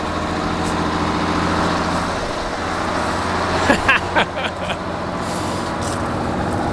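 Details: Old diesel coach (bus) in cold icy weather, high idle engaged to warm up and fill air tanks and airbags; steady, even drone at raised idle with a few handling clunks nearby; normal healthy high idle.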